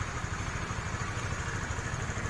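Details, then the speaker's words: 2018 Honda Sonic 150 cc motorcycle just started after a newly installed remote alarm; quick even idle putter with a steady low beat and no knocks or misses: normal idle. "Kita starter. Oke, motornya sudah nyala dan hidup dengan"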